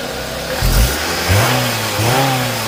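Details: Scion xB second generation after repair of loud engine-bay hiss, pulsating rpm and power loss on acceleration: engine catches and revs cleanly, pitch rising and falling smoothly with throttle, no hiss or stumble; runs healthy and responsive.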